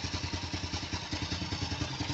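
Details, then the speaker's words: Older Honda Supra X motorcycle, apparently well maintained: even, quick puttering idle with no knocks or rattles; engine still smooth and healthy. "Nih suara idle guys. Ya kalau lo dengerin suara mesinnya, lo denger suara mesinnya masih halus ya. Ya kayaknya sih dirawat sama"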